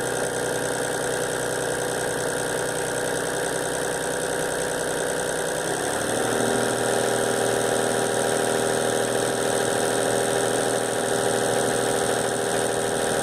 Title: VW LT 28, Motor S1 Motorgeräusch (Vakuumpumpe)